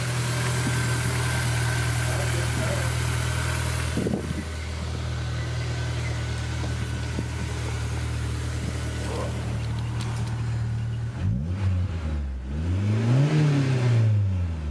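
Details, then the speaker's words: Honda S2000 after a self-installed Billman TCT (timing chain tensioner): steady idle, then a few quick revs up and back down, smooth with no chain rattle or ticking; sounds healthy. "And so that's basically it. Everything sounds good, nothing's rattling, nothing's breaking."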